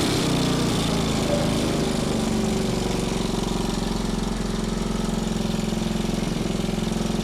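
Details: Small single-cylinder engine salvaged from a junk go-kart, running after carburetor cleaning and a point-gap adjustment: a steady, even thump at constant speed with no misses or knocks. The engine runs healthy.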